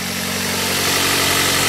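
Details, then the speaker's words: 2004 Pontiac Vibe, four-cylinder, four-speed automatic, idling after a January cold start: steady idle under a loud, hissy, raspy puffing from a known exhaust leak; the engine otherwise runs well. "It is loud a little bit. Not a bad car at all."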